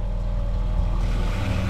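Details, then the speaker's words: Boat watermaker (desalinator) first start-up, needle valve opened to avoid fast pressure rise, boost pump then high-pressure pump: steady low hum, very quiet, settling partway, no rattles or grinding; pumps running normally. "On va lancer la pompe de gavage et ensuite la pompe haute pression. Voilà. On l'entend, c'est très léger."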